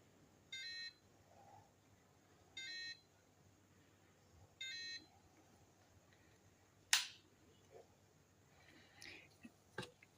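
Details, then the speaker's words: FlySky i6X RC transmitter: three short high beeps about every two seconds in a quiet room; low-battery warning, its batteries run down to around 4. "මේකේ transmitter එකේ නිකන් වෝනින් එකක් වගේ වදින්නේ. ඒ කියන්නේ දැන් මේ ට්‍රාන්ස්මීටර් එක මේ බැටරි බැහැලානේ තියෙන්නේ. මේ 4 ගානක් වගේ තියෙන්නේ. ඒකින්ද තමයි මේ එලාම් එකක් වගේ වදින්නේ."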